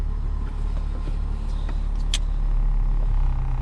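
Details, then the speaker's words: Toyota Corolla idling in drive with e-brake on and AC on for extra load, after replacing the worn serpentine belt tensioner that caused the rattle; low, even idle with no rattle from the belt area, only faint clicks, quiet and healthy. "ac on oh that's the door nice quiet oh hey see both cold though dang okay so we know we're good"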